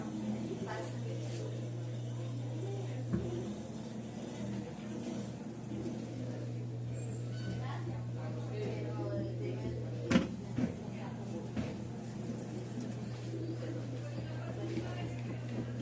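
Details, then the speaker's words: 18-lb Samsung top-load washer in spin cycle after repair (transmission pinion maintenance and clutch lever screw calibration): steady even low hum, no knocking or grinding, spinning normally. "entonces aquí notamos que ya estaba centrifugando bien la lavadora"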